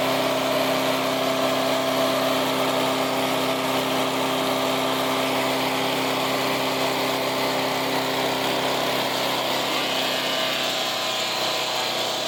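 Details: Resurrected direct-drive wood chipper, 90s engine with adapted 50s carburetor, warmed up: loud, steady drone with rattly edge, no surging or misses; runs well but owner couldn't make it quieter.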